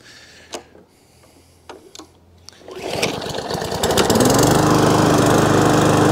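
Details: Briggs & Stratton overhead-valve E-series mower engine that was surging, after the fix was tried before buying a new carburettor: a few pulls, then it catches and settles to an even, steady speed with no hunting or surging, running properly.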